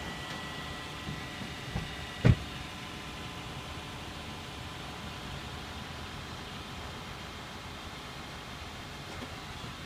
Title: 2012 Toyota Camry (Clicking Noise from front while backing)